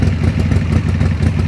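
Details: Harley-Davidson Sportster just started after rewiring the ignition switch (accessory wire had disconnected), choke out: deep, even V-twin potato-potato lope, steady rhythm, no knocks or rattles; healthy choke idle.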